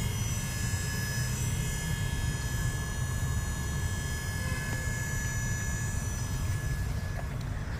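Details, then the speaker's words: VW Polo GT TSI with DSG that suddenly stopped moving in drive: with key on, the mechatronic pump hum and thin whine never cut out, indicating oil pressure loss; mechatronic unit to be removed. "I'm sure you can hear the pump running. So, we know there's a drop in oil pressure."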